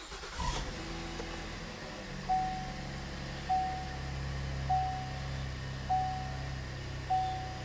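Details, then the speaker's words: 2013 Chevy Impala (wrecked rebuild) idling after power steering pump change: quiet, smooth low hum with soft chime about every second, no whine at idle; previously whining started when revved, put down to a failing water pump and bearings. "And she sounds good. Before when I give her gas, that whining noise will start up again."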